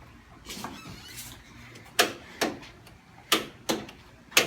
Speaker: so all we're getting is a click from the solenoid which is right there by the battery we just bought a new battery a couple days ago just installed it cranked up a couple times but then we tried to crank it again and all we're getting is that click so we think it's a bad starter